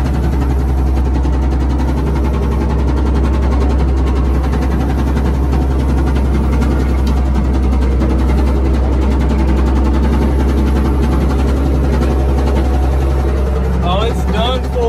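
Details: Old Komatsu WA180 loader diesel idling with a deep, steady knock about four a second after dying; rod bearing knock suspected, not confirmed.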